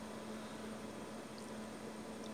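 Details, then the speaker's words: Glacier G55 12 V fridge at startup, recorded near the condenser and fan: quiet, steady low hum with smooth fan hiss, no clicks or cycling; normal compressor run. "that's telling me it's running it's a normal run procedure if the compressor and condenser all appears to be normal"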